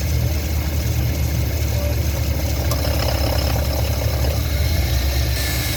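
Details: 2012 GMC Yukon 5.3 V8 at idle while shifted between drive and park: faint fast tick riding over a steady low rumble; the owner says it's not what you'd think, and the source is unclear.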